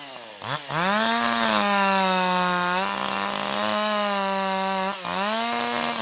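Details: Older piston-ported chainsaw with the H screw at 1.25 turns: runs up to a clean, steady high scream that holds smooth and powerful under load in the cut, slight four-stroking out of it, quick pickup; high-speed mixture correctly tuned.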